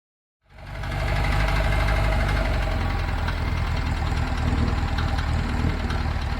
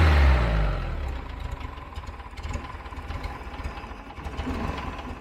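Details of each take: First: 1975 VW Fusca "Ratoeira" air-cooled engine at steady deep idle with a repeating knock, about three to four per second, under the engine note; abnormal noise from the engine, cause suspected, not confirmed; clutch also worn, possibly oil-contaminated. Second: 1975 VW Fusca "Ratoeira" air-cooled engine starting on a new electronic ignition module replacing the points; catches with a burst, then settles into a steady, even idle with no misses before timing adjustment; normal idle.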